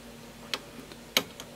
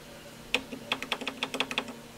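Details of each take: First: Advantest R6581T 8.5-digit multimeter after battery replacement and internal calibration to fix clicking relays and false overload. Ranges stepped manually through 1, 10, 100 and 1000 V give single crisp relay clicks with no chatter or buzz; normal range switching. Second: Advantest R6581T 8.5-digit multimeter with dim display: about a dozen sharp relay clicks in quick bursts as it tries and fails to auto-range, falsely showing overload; fixed by battery replacement and internal calibration.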